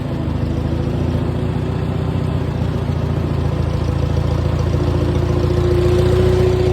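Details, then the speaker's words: Farmall 230 tractor after points setting and 6V-to-12V conversion, carburetor untouched: steady even low chug with no stumbles or knocks; engine runs well. "well the engine runs great in it but I want to crank it"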